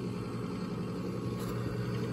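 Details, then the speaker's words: Coleman Presidential DG807BDTA mobile home furnace after pressure switch replacement: inducer motor gives a steady, smooth low hum with no wobble, rattle or surging, and the new pressure switch is heard closing; normal operation, igniter follows. "let's uh test it out oh yeah you heard the switch closed that time"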